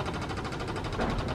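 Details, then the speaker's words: 1930s Morris 8 Series 1, SU electric petrol pump switched on drawing fuel from the tank after blowing through the line; quick even ticking that slows down as the carburettor float chamber fills, a good sign. "battery on pump's turning away is it going to pull anything up making a few different noises eventually you want to hear it slow right down"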